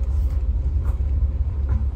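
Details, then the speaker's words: Citroën C6 HDi diesel after air flow meter limp-mode fault repaired, road test: responds much better to throttle and gear changes, no more jerking at full throttle; deep steady rumble pulling smoothly, no stumbling or surging; normal acceleration. "Donc elle réagit beaucoup mieux. Hein. Les changements de vitesse et tout. Donc ça veut bien dire que j'ai trouvé la panne."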